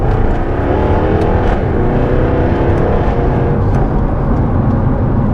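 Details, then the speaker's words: Jaguar F-Type in Dynamic mode with exhaust valves open: deep loud roar with sharp crackles on lift-off, where the map cuts spark but not fuel so unburnt fuel ignites in the exhaust; healthy sports exhaust overrun. "it's fantastic but it does come at a price the crackles that you hear that's where unburn fuel is igniting in the exhaust so on the map for this car when you come off the throttle it cuts the spark but not the fuel"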